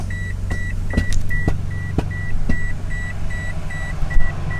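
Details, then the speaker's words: Stanced Subaru BRZ with aftermarket seats: a sharp high chime repeats about twice a second over a low idle for up to a minute when pulling away. It is the seatbelt reminder, set off by the unplugged passenger seat occupancy sensor. "I get a really annoying beeping sound every time I start driving."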